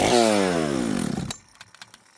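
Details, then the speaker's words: Chainsaw after a carburetor kit, low and high jets half a turn out: drops from high revs, sags as throttle closes and dies within a second; won't idle, way too rich and getting richer. "I have to give it tons of air cuz it's way too rich. Okay. And the more I run it, the richer it's getting."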